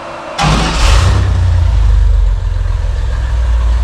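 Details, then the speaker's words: Rock crawler buggy engine with spider fuel injection, first start, very large muffler: catches within half a second, steady loud deep exhaust rumble at idle; normal running after start. "it's finally alive it's a fair bit noisier than i thought it was gonna be"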